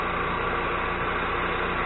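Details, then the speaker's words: Micro Quiet 4000 watt generator running after valve cover breather plate cleaned and oil leak repaired: steady, even engine drone with smooth low thrum, no ticking or knocking; sounds better, minimal crankcase pressure, normal running. "it's slider sounds a lot better we're just going to let it run that way let the wolf certainly gets hot and everything"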